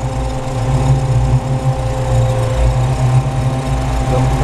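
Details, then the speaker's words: Ford Maverick V8 idling lumpily with a faint crackling tick as spark jumps inside the distributor once the faulty MSD 6AL ignition module heats up; test coil fitted, distributor checked fine, black marks inside. "pouco começa a pular Faísca aqui esse barulho é dentro do distribuidor tem até umas manchas pretas n dá para ouvir o barulhinho quando módulo de ignição começa a quentar el começa a fazer isso"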